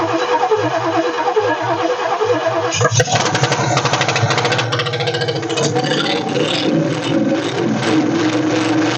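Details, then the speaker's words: 1967 Ford F100 small-block V8, first start after sitting 29 years, tank line disconnected, running only on fuel poured into the carburetor bowl: lumpy, uneven, stumbling running from fuel starvation. "oh yeah sir I think we got the runners you ain't running the greatest well she runs she runs"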